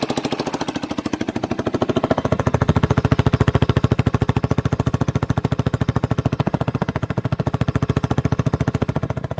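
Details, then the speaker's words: 1989 Yamaha Big Bear 350 ATV revived after sitting 10+ years, idling on half choke while warming up: even sharp puttering with crisp ticking edge, no knocking; owner suspects small exhaust leak. "There's no knocking or anything into her. Might have an exhaust leak right there. Just maybe."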